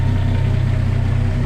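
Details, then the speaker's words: Turbo Centura with 500 Holley carburetor, factory fan and 3-inch exhaust, cold start: fires straight up and settles into an even, steady low burble with a smooth rhythm, no knocks or misses; a healthy idle. "as you can hear as she just fires up no problems at all and idles Away really well as well"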